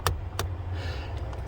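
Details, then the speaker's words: 1976 Jaguar XJC 6-litre V12 headlight circuit after cleaning a dirty earth-wire contact under the steering column shroud, two crisp clicks then lighter ticks over low idle rumble as the relay switches cleanly; high beam right side still dead. "Well, I think I might have fixed it. I can hear the relay going off and on."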